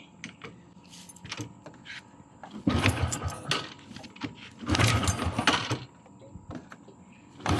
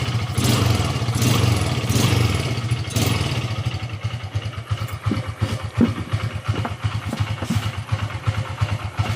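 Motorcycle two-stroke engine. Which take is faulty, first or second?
first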